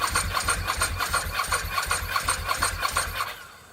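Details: Ducati 916 under rebuild, first start with the fuel pump run outside the rusty fuel tank: lumpy, regular beat of about three pulses a second with rattly top-end clatter, then it dies away; engine firing and running.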